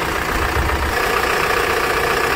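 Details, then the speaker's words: Tata Safari (new version) diesel after alternator clutch pulley replacement: smooth, even idle with a low steady rumble; the earlier groaning from the belt side is gone; normal. "सुन सकते आप लोग sound देखिए एकदम silent हमारा sound हो गया है पहले देखिए कितना घर घ आ जाता था"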